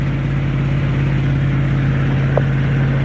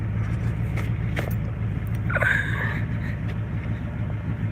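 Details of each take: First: Beater truck run completely straight-piped because the exhaust had rotted off: loud, steady low drone with an even pulse and a raw exhaust note, settling smoothly with no knocks. Normal running. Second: Beater truck running with no exhaust fitted, rotted off and completely straight piped: deep, loud, raw unmuffled rumble with throaty low pulse; otherwise runs good.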